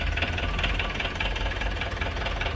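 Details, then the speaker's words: Ford Ranger T6 diesel at about 300,000 km, lacking power: loud harsh clatter with rough uneven beat, hollow huffing and heavy smoke, won't pull when revved; engine overhaul. "สำหรับอาการนี้เครื่องดังนะครับฟังเสียงเครื่องดังฟันควันเต็มเลย"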